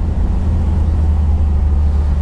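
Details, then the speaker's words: Squarebody Chevy K30 that sat in a Texas field for years, last run perhaps in 2019, now running after fuel system troubleshooting and upgrade: a strong, low, even rumble with no misses or rattles. It runs normally. "i don't know when the last time this thing ran i guess i think it was 2019 i really don't know but sure is running now"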